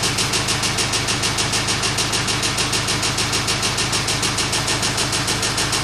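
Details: Kia Sorento at steady idle: sharp, even knock about three times a second over the engine, source not yet pinned down; engine knocking.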